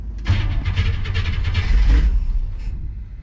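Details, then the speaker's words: '57 with reinstalled FiTech fuel injection, cold start at about 45°F with no throttle: catches almost at once, then settles into a steady, even low rumble. Healthy cold start. "didn't touch the gas [Music] all right so not bad we'll let her warm up for a second"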